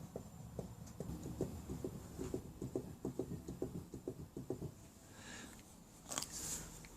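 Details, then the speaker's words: Triumph Bonneville America Speedmaster, rear wheel off the ground rocked by hand: soft uneven clunks about two a second from the wheel centre, not the stand, showing free play; worn rear wheel bearings to be replaced. "You can hear clunking. That's not stand or anything. That is, you can feel it coming from, you know, the centre of the wheel."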